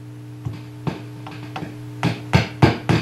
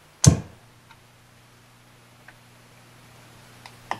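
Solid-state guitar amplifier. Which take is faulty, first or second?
first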